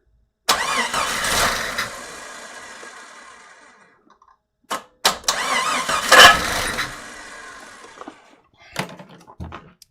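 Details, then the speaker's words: Jeep XJ 4.0 rebuilt engine, first start attempt: two short starter whirring bursts, turns over nicely but never fires; owner suspects fuel not yet there, neutral safety switch or ignition. "So for some reason it's not activating though. That could be fuel, still not there. Oh, that's just the starter, okay."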